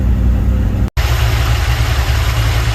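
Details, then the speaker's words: Sweptline truck with a rebuilt vacuum-secondary Holley carburetor, warming up: steady deep V8 idle around 800–900 rpm, low but stable with no hunting or stalling, a clear improvement over before. "Well, it is idling pretty low, and it's stable. It's not trying to shut off or anything."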